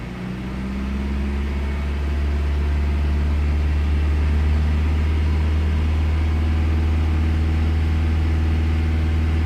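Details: Low steady engine drone with a faint, fairly regular stumble about four times a second; misfire, cause unclear.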